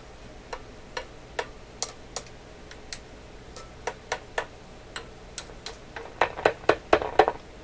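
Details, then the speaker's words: Canadian General Electric KL-96 radio, paper capacitors replaced, first real test: sharp irregular clicks through the speaker each time the table or tube is tapped; a tube is microphonic, loose cans also noted. "Something's really sensitive. What is so sensitive on here? This one's microphonic."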